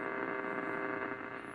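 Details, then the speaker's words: 1947 Lear 662 AM tube radio, warmed up and tuning AM: steady low hum from the tubes with soft hiss between stations; normal for tube radios. "You can hear some humming in the back from the tubes, but background from the tubes, but that's pretty normal for these tube radios."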